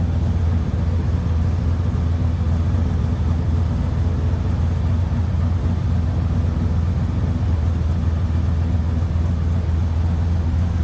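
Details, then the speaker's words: 1972 Chevrolet Malibu convertible, 383 stroker V8 with Holley Sniper EFI and 700R4 automatic, just after a cold start; steady, even low exhaust rumble with no misses or knocks, a healthy idle. "I thing sounds good little Rumble coming out of the fuel exhaust"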